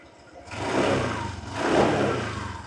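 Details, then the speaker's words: Used 2013 first-generation Honda PCX150i scooter, original engine and stock exhaust: two quick throttle blips rise cleanly and drop straight back to a quiet idle, no rattle or hesitation; throttle follows the hand normally, engine quiet, normal throttle response. "ก็ลองดูคันเร่งนะครับติดๆตามมือปกติเลยนะเสียงเงียบ"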